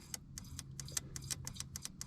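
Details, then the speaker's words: Woody wagon fuel injector bench-pulsed off the pulled fuel rail with a 9 volt battery, low residual rail pressure; clogged at first, pulsing cleared the debris; quick, unevenly spaced sharp ticks over low hum as the injector opens and closes cleanly. "i pulsed it maybe about two or three times every five seconds until i could hear the solenoid becoming more and more active and it pushed all this debris out of the injector and now it's working"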